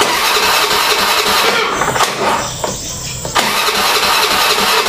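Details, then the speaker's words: Honda Beat scooter that won't start despite spark present, regulator replaced and side-stand switch jumpered; starter spins the engine quickly and evenly but it never catches. "Oke kita mau ngerjain Honda Beat gak mau hidup katanya Kang Bro padahal pengapiannya ada ya nggak mau hidup di starter itu nggak mau hidup"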